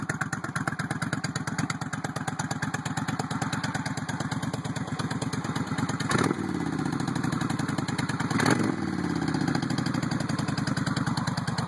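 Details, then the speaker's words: 1996 Suzuki VS1400 V-twin, cold start, idle turned up: lumpy uneven idle with a couple of louder pops still present while cold. "it's kind of cold a little bit of popping still there but"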